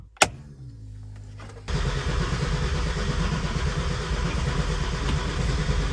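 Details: Mercedes W203 with turbocharged M104, new surge tank fuel system, fuel pump switched on, low on fuel: brief crank catches, then uneven, lumpy low rumble that won't run smoothly; fuel delivery suspected.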